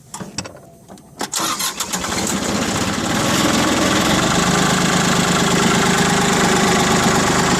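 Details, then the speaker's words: Mitsubishi MT205 compact tractor, 3-cylinder diesel, about 800 hours, new battery: short crank, quick catch, then steady, even diesel clatter at idle with no misses and no exhaust smoke; normal diesel start and idle. "Here it sounds really good. There's the exhaust. No smoke blowing out the exhaust."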